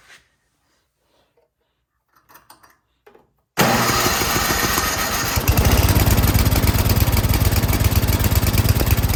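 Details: 24-inch MTD Yard Machines snowblower that would not start, carburetor found not bolted on, after high-end carburetor adjustment: engine catches at once and settles into a fast, steady small-engine beat with no misses; runs properly now.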